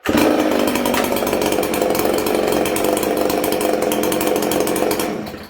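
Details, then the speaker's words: 1983 Husqvarna 266SE chainsaw, ported, new piston, after clutch replacement, warm: steady even two-stroke idle buzz with no clutch rattle, normal idle. "Now I'm going to say already, I don't hear that clutch rattling. Do you guys?"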